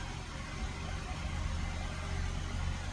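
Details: Mini Countryman after its faulty brake servo pressure sensor was replaced and the engine management light cleared: low, steady engine hum with an even beat and no knocks or misses. Normal idle.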